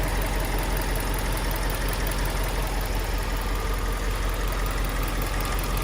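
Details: Subaru Liberty B4 twin-turbo at idle, heard on one side of the engine: loose, uneven rattle ticking two to three times a second under a busy idle; source unknown, maybe timing or near a turbo, engine later pulled.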